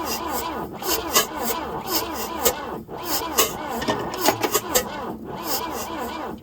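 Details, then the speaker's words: 1966 Volvo Amazon 122 estate wagon, abandoned and long unrun, with fuel fed by hand into the carb; the starter churns steadily with rhythmic compression pulses but it never fires. Crank, no start. "Oh, you all right over there? Losing daylight, need starting fluid. Probably put the other carbs on it."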